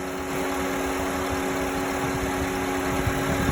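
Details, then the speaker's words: 2009 Honda Civic, accident-damaged and towed, sat 2 days: warmed-up idle with the AC running and a constant fan hum. Steady, even idle with no knocks or misses. Temperature holding, not overheating; engine healthy. "I warm up the engine and it works very good. There's no issues with the engine."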